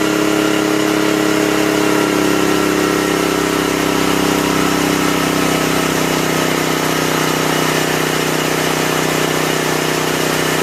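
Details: 1984 Honda EM600 generator, bought as a non-runner, restarted after the ignition coil was remounted and grounded: steady, even drone at constant speed with no misses, surging or hunting; normal running.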